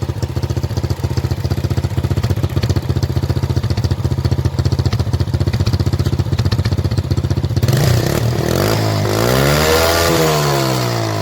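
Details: Motorcycle that backfired at the exhaust from an over-rich mixture, after blocking the exhaust air-injection part: steady even single-cylinder idle then smooth rev blip with no pops; backfire gone, temporary fix, carburettor replacement the permanent one.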